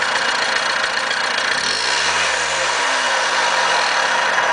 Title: za50 bad bearing? (running)